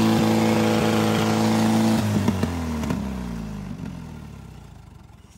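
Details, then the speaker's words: 1945 Allis-Chalmers WD 4-cylinder gas tractor, sat for years, fuel line just cleared of rust: screams at a high steady pitch with flames from the top, then loses ignition and the note sags and winds down; badly over-revving. "why is it shooting flames out where the top well it's definitely screaming pretty hard"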